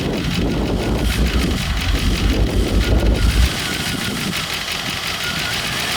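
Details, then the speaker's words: 1990 Range Rover Classic V8, revived after over 10 years stored in a barn with new injectors, fuel pump, tank, filter and lines, runs very rough at idle and stalls when the throttle is released; owner suspects throttle sensor. "we got it going it's very rough on the idle it as soon as I let go of the gas pedal it's shuts down"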